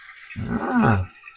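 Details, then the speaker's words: Toilet running intermittently: fill valve switches on by itself with a short groaning rush of water, refilling the tank; water level stays below the overflow tube, so the leak is not through the overflow tube but a worn flapper slowly draining the tank. "But as you can see, the fill valve just came on. It's leaking, but nothing is going above the overflow tube."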